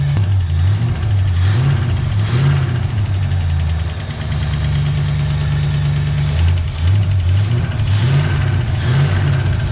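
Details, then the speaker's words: 1965 Ford Mustang engine after a near-full restoration and just back on the road: a steady drone with a recurring metallic rattle that worsens. Oil is at the safe mark. It is felt on one side, not at the head or valve cover. An oil stabilizer was tried, but it still rattled two hours later. Cause unconfirmed. "oh man you can hear a rattling in there now definitely feels like it's on this side i can't feel it in the head get or the valve cover"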